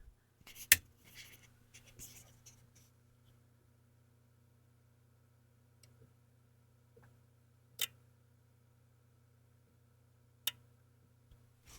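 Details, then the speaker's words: SX-1980 receiver after power supply and amp reassembly, powered via 100-W bulb limiter, microphone inside chassis: quiet hum with crisp clicks as the soft-start relay and protection relay pull in; normal power-up relay clicks. "I heard two sets of clicks. One was the soft start relay and the other one was the thing coming out of protect."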